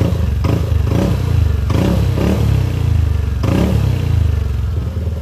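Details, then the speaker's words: Yamaha Aerox scooter after repair of failed timing chain tensioner: revs blipped, note rises and falls smoothly with no ticking or chain rattle, engine now quiet; normal engine revving. "So katulad nito, wala na, tahimik na. Hindi katulad kanina, sobrang pag nire-revolution talaga ang ingay niya."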